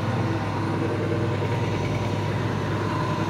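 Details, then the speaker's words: Microkinetics milling machine with a brand-new Marathon motor: even, steady spindle hum with no knocks, surges or grinding; normal spindle running. "so our spindle right here so we'll see that turn and we're going to go porn and it's smooth as silk"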